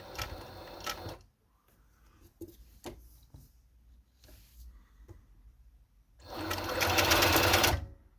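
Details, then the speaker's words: Necchi 831-101 walking-foot machine with 550W servo motor at high speed, same power at low and high RPM: fast even needle chatter in bursts, no knocking; healthy. "and it can give you a speed when you need it. It has the same power on low RPM as it has on high RPM because this is a servo motor."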